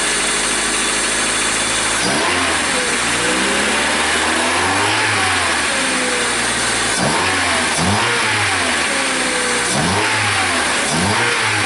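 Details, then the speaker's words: 2000 Honda after crank-no-start distributor fault, ignition coil replaced and wiring fixed: engine catches, holds steady idle and takes quick clean rev blips with no misfire; normal running after repair. "okay so there you have it we put the coil in and we put it all back together now and it works"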